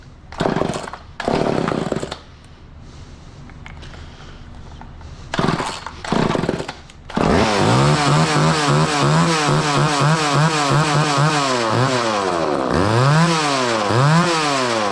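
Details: Old Craftsman two-stroke chainsaw revived on 40:1 premix: catches after a few pulls, then revs up and down repeatedly; it runs and responds to throttle but unsteadily, with a suspected carburetor fuel issue.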